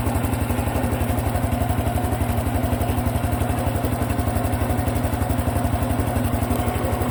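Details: Honda Cub Pro engine at steady idle after an oil change meant as a countermeasure: sharp regular clatter about four knocks a second, something knocking inside; abnormal noise persists, cause not yet found.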